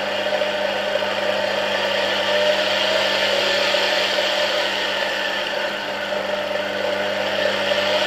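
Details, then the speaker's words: Polish RFSG vacuum cleaner (about 1953-56) with a replacement 1961 SK-5 universal motor on a voltage regulator, whirring steadily at high speed with a faint bearing rustle; it runs well and responds smoothly to voltage changes. "Okay, the engine is running pretty nice. You can hear the bearings a bit, but overall they work very well."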